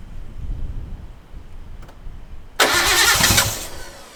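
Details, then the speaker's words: Nissan R32 Skyline during restoration, first start after revival: the starter churns, then the engine catches and settles to a steady idle; a rattling noise is heard, which is thought not to come from inside the engine. "始動しました！ただ、しゃらしゃら異音が鳴ってますエンジン内部の音ではなさそうなので一先ず安心"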